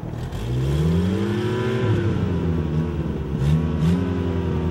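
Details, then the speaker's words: Toyota pickup sitting almost two years, revived after a few minutes of tinkering: engine catches and settles into a steady, even run with a few smooth throttle blips; no knocks or misses, sounds healthy. "Sounds good, considering how long it's been sitting there."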